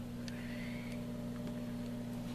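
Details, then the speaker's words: Light dimmer switch used as speed control for a vented litter-box blower: faint steady electrical buzz under the fan's whir, higher pitched at lower settings; the switch vibrates but isn't warm. "but i can hear it buzzing not very loud the lower you go the higher the buzz so"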